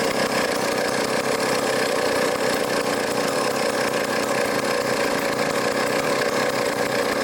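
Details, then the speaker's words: Old vintage foreign chainsaw after carburetor work, with the low-speed mixture leaned out slightly: steady, even two-stroke buzz at constant pitch with no surging or stumbling; normal running. "all right that sounds good as we die of carbon monoxide poisoning so I leaned out the low speed a little bit"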